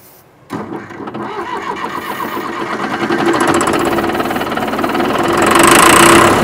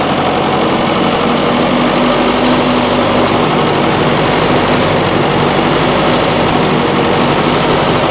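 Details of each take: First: John Deere 450C track loader diesel pulled from woods: turns over steadily about four compressions a second, building louder but never firing; fuel shutoff solenoid wire was found disconnected. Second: John Deere 450C diesel track loader recovered from the woods: steady diesel clatter holding an even idle under heavy background hiss, with no stumbling or dying; normal idle.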